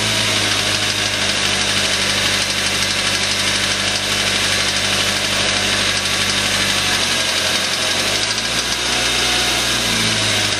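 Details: Suzuki Aerio at a loud, busy idle with a deep rod knock buried in the running sound from a spun rod bearing; the engine was replaced under warranty.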